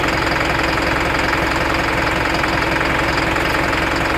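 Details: Isuzu NPR diesel at idle with check engine light and DTC P0202 (cylinder 2 injector circuit), loose connection: regular knock, roughly 160 a minute; suspected misfiring or dead injector on cylinder 2, unconfirmed.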